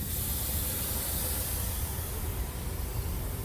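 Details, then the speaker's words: Thermo King SB230 reefer unit during service, one of two simultaneously broken lines already replaced: steady, unbroken hiss over a low rumble with no pulsing; the other line is still leaking, owner suspects road debris damaged both. "i'm thinking that maybe um along the road i caught something and that's why it pulled on both lines because i think it's a little crazy that both lines break at the same time so i did the new one let me show you guys and you can still hear that the other one's leaking as well watch listen to this see see it gets quiet"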